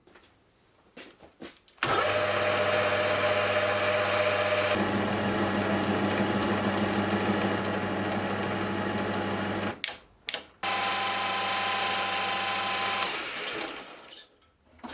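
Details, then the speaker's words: Lathe headstock gearbox after flushing and switching from ISO 68 to thicker SAE 30 oil, filled slightly above the recommended level. It runs far quieter with less rattle, but a faint constant whine and light rattle remain; cause unknown. "It still sounds a little bit ugly, but even still, I was not expecting it to sound that good. It's a lot quieter and it doesn't rattle around a"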